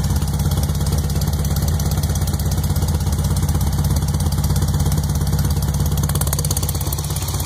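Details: Freshly rebuilt 1641cc engine at first startup: lumpy idle with a steady knock about three times a second and occasional pops; source unknown.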